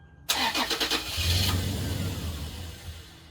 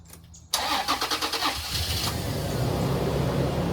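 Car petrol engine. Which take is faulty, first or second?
first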